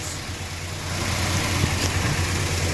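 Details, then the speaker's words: 1966 Chrysler New Yorker V8 at first start after years parked: rough idle with a light, quick ticking over the low rumble as the hydraulic lifters pump up with oil; occasional flat beat, old plug leads suspected. "I just want the hydraulic lifters to fill up. That's what the tapping is."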